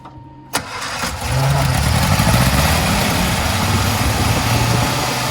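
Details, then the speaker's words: Barn-find Sprite after dropping oil into the cylinders to raise compression, with chokes pushed down: the starter catches, then the engine fires and runs lumpy and uneven without settling. The owner suspects the carbs, which are to be removed and cleaned. "still wants to take off so i think i'm going to leave it right there until i can get these carbs off and go through them"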